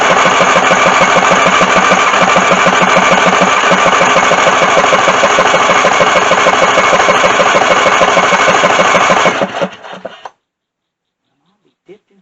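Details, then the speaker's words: Craftsman lawn mower after leaking float valve let gas into oil, solenoid starter wire retightened; fires on starting fluid, runs briefly at a rough even chug about three beats a second, then dies; little gas getting in, hard start. "We're gonna spray her again because she kind of evaporated over time. And I don't get a whole lot of gas in there."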